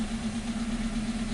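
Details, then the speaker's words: 2015 Hyundai Accent with P0335 (tach reading zero, stalling, loss of power) and P2188: idle wavers and pulses unevenly like a miss, but misfire counters show none. Rough idle from a failing crankshaft position sensor. "this vehicle is running rough it's making noise like you know like a like you got an issue or something like that like if uh you got misfire"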